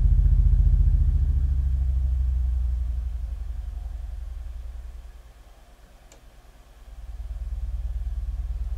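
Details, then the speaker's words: Miller & Kreisel V-2B subwoofer amp (STK-086) after repair of constant hum/buzz: all failed-ESR electrolytic capacitors replaced, Deoxit D5 used. Deep, smooth low tone down to under 10 Hz on a 6-inch test speaker, no buzz: playing clean. "the thing sounds absolutely perfect let's put some copyright free audio into it now and make sure that it plays audio okay sounds much better than that annoying buzz that it had before"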